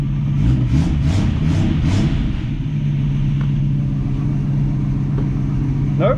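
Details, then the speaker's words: 1965 Mustang inline six after carb choke adjustments and heat riser tube reconnected: quick throttle blips rise and fall cleanly, returning to a steady idle without stumbling or stalling; timing good, choke working; normal throttle response. "doesn't want to stall that is awesome [Music] good idle the timing's good the choke looks like it's working properly now"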